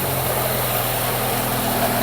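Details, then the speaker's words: Freshly rebuilt Ford Pinto 2.0 engine in a Mk1 Ford Capri, first start after setting the timing: steady, even low idle with a smooth firing beat and no knocks or misses; engine running sweet. "Listen to that. Absolutely spot on."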